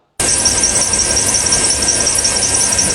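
A steady, high, unbroken squeal over the running engine with no rhythm to it, typical of a worn belt tensioner pulley bearing.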